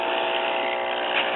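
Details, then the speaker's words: Circa-1935 Aetna (Walgreens house-brand) AM tube radio after its resistance line cord was replaced with a 200-ohm resistor, filament string at about 64 V AC: steady hum with garbled, warbling reception through the original filter capacitors, which are shot, one visibly blown. "and on all original capacitors I'm getting some garble reception of course it's obvious the filter capacitors are shot"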